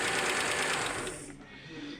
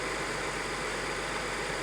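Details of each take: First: 1999 Audi A6 2.7 biturbo, 410,000 km, knock from driver-side cylinder head, owner says it grows as engine warms: fast light sewing-machine ticking; valvetrain tick from worn camshaft lobe and hydraulic lifters, found with valve cover removed. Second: 1999 Audi A6 2.7 biturbo, 410,000 km, after replacing worn camshafts, hydraulic lifters, timing belt kit and water pump: even, quiet idle with a smooth hum, no ticking or knocking; mechanical knock gone.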